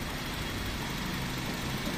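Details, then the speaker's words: Honda City 2000 Type Z that stalls with the aircon on and shows a check engine light: idle sits low and uneven, the engine struggling and near stalling, running only on air during idle adjustment. "yan bigyan natin ng konting lakas napakaano talagang hirap na hirap ang makina pinapagana na lang siya sa ano eh sa hangin"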